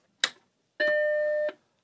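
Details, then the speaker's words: Mac Plus after repair in a multi-machine restoration, powered on after sitting a few days: click at power-on then one clean, steady chime about three-quarters of a second; normal startup, no strange noises, works fine. "normal to me there we go flashy quest you're marked so no strange noises and it seems to work fine"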